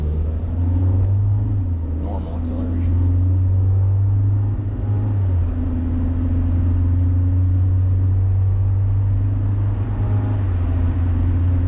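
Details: 2000 Honda Civic under medium acceleration with the cat removed: eBay header and test pipe, OE piping, newly installed resonator, and OE-style muffler. A deep, smooth drone swells and eases with throttle. The raspy above-2,800 rpm rasp is gone, and the exhaust sounds quiet and healthy.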